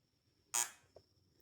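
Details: VW Fusca with a second-gear low-rpm misfire, while checking its six-pin ignition module with a 110 V continuity tester: one short, sharp buzz sounds as the probes touch, then cuts off, showing contact.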